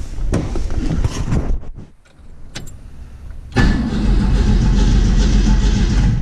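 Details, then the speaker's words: Engine cranking with the ignition ballast resistor back in circuit (jumper removed). Starter churns steadily about three beats a second with no firing. No spark; the resistor reads 12 volts on both sides, and the owner is unsure why. "so both sides are resistor 12 volts it doesn't seem right shouldn't it be dropping nothing no spark"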